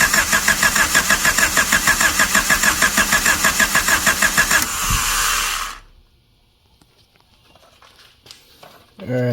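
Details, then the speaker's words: 1999 Honda Civic EK hatchback revived after sitting several years, starter jumped to battery, distributor held by hand: quick even cranking with a brief near-catch then silence; cranks but doesn't start, owner thinks timing may need advancing. "Maybe I got to advance it and what not. I kind of heard it start."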